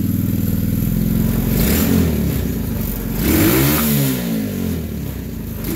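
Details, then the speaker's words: TRex 125cc single-cylinder after carburetor replacement and filing a burr that made the throttle stick: putters at a fast, slightly uneven idle with throttle blips; idle a little high, to be turned down. "the return side of the spine now might actually be idle a little bit hi turn it down just a little"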